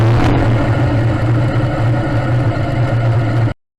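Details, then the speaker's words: Modified pulling tractor engine with a reground camshaft under full load; the deep roar pulses unevenly, then abruptly dies as the engine control unit cuts fuel, the injectors maxing out past 3200 rpm. "In the data, you can see that the engine control unit was indeed shutting down over and over again."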